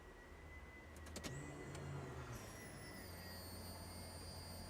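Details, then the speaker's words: First-gen Toyota Aristo with new Walbro 450 fuel pump for E85, 12 V mod bypassing pump control, key on: steady low electric hum with faint high whine, even and unwavering; pump primes normally, 50 psi base pressure, no leaks. "Alright guys, so with the key on, with the 12 volt mod done to your bypassing your fuel pump control, the pump will run as soon as you key"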